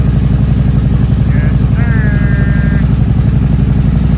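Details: 2013 Harley-Davidson Road King from Copart, first start-up: steady lumpy V-twin idle at an even beat, about four pulses a second, no knocks or rattles; sounds healthy.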